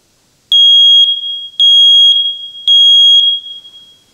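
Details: First Alert smoke detector after repair, a loose internal contact pushed back in: loud, piercing high beeps, each about half a second, repeating roughly once a second; alarm sounding normally.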